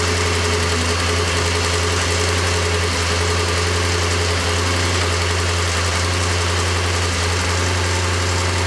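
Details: Porsche 928 V8 after oil pump work, auxiliary belts and clutch fan still off: even smooth idle with constant low rumble, no knock or rattle; runs healthy.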